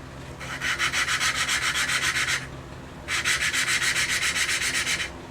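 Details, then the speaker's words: Valve lapping on the rebuilt Briggs & Stratton engine of an Ex-cell VR2500-1 pressure washer, using Loctite compound of about 280 grit: gritty back-and-forth scrubbing that grows quieter as the valve cuts in and seals. "You can hear the cut-in. It gets quieter and quieter and quieter and quieter. It's quite a therapeutic sound. And that's how you know you're getting a good seal."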